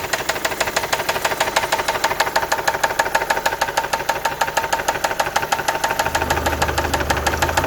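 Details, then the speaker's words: Engine at idle, no dashboard warning lights, Lucas oil additive made no difference: heavy, sharp knock about three times a second locked to the idle beat; suspected rod bearing, possibly lifters. "This is, as you can see, this is the noise we deal with. Yeah. This is very bad."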